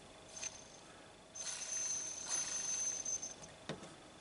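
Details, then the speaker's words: Juef French model loco with separate motors on each bogie: short bursts of thin, high-pitched whine or squeal from the small motor, which makes a noise in one direction only; cause unclear. "Let's just have a bit of that in there. It makes a noise in one direction."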